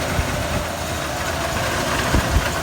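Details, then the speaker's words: 1992 Ford F-150 V8 with tachometer and voltmeter jumping, alternator tested charging; vacuum leak smoke test and fuel regulator already done: lumpy, uneven idle with irregular low thumps, hard starting, later a no-start; spark issue suspected. "and you can see in the exhaust here that is running a little rough and hard time starting"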